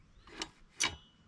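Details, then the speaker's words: Wrecked Apollo 125 motorcycle, top end reportedly redone, engine turned over by hand: two sharp dry clicks, a top-end "clac"; badly set timing/distribution suspected, not confirmed. "genre on entend que ça tourne ça un petit clac ça c'est pas bon"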